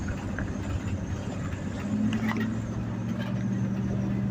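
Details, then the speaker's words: 1986 Dodge W150 with stock 318 V8 after a mechanical fuel pump replacement, road test: steady, even drone with a smooth low hum under light road noise, no knocks or misses, transmission shifting well; sounds healthy. "All right. Sounds good. Transmission shifting good. believe we're good."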